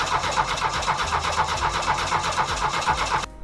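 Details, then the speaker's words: VW 1.6 turbodiesel with a newly fitted self-built injection pump (timing just set, pump primed by electric fuel pump), cranking with injector lines cracked into rags to bleed air: even starter churn, about four compressions a second, never fires, then stops. "I ran the electric fuel pump so the pump here is full of diesel fuel I'm gonna crank it over and bleed these lines I have these rag stuffed in here because I'm gonna bleed them a bit extra"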